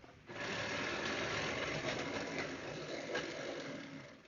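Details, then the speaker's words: Athearn Blue Box GP35 locomotive from around the 1980s, before tune-up, running at about 25–30% throttle on hollow track: small motor whirs with a coarse coffee-grinder-like grinding drive noise; it also runs opposite the standard direction. "first thing is it makes a part of it's a track it makes sort of a grinding noise as you probably hear"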